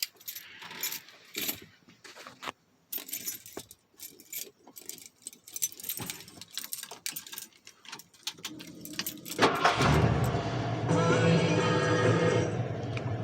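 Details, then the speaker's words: Ford 302 F150 converted from EFI to a carburetor, used as a daily driver and reliable for years, hot start after running errands. Brief crank, then it catches almost at once and settles into a steady idle, starting faster than the EFI did. "That's on a hot start, but that starts faster than EFI."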